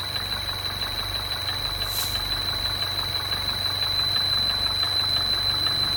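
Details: MINI Crossover R60 engine abnormal noise: fast steady ticking about three per second over smooth idle with thin high whistle; cause not known; ticking noise at idle.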